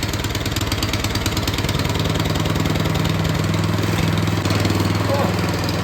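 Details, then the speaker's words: Snowblower engine with newly fitted pull start: starts first pull on choke, then chugs at a steady, even pace with no misfires or knocks, running normally. "Well, let's see if this thing starts up first try or if I've been lied to. Choke on. Oh, first try, okay."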